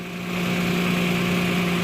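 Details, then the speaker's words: 2009 Toyota Land Cruiser GXR 1GR V6 at idle, left side of engine: fast light ticking over exhaust note from a pinhole-sized exhaust leak below the manifold, not at the manifold face; soap foam used to locate it. "فالجهه غير معروفه فما تدري هل ومن وجه القزوز او من اسفل الباب القزوز اللي نازل تحت فراح اشغل الموتر حتى تكون الصوره واضحه في صوت تفتفه من هنا او من اسفل اسفل المصاري"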